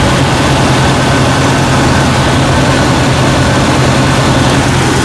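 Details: Jeep Cherokee XJ 4.0L idling after a jump start; smooth, even low hum with no knocks or misses. Alternator reads about 14 V and is charging normally. Normal idle.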